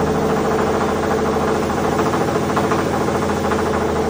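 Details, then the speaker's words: 2017 Ford F-150 Raptor, second-gen 3.5L EcoBoost that came in knocking and growling with oil consumption and metal in the oil: a deep, uneven bottom-end knocking growl. The mechanic suspects a rod or main bearing failure. "this engine Came in Like I said it was knocking and growling he had oil consumption issues stuff like that"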